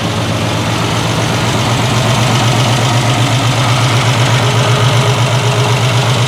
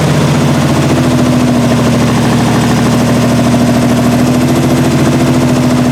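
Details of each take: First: 1968 Triumph TR250 restoration, running on jack stands while checking gears: steady idle with an even low pulse around four beats a second, no misses or knocks; running cleanly and sounding better. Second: 1968 Triumph TR250 engine first started after body-on-chassis restoration, idle screws backed out two and a half turns: loud, uneven, lumpy stumbling idle that never settles, from poor initial carb setup, loose linkage and timing needing adjustment.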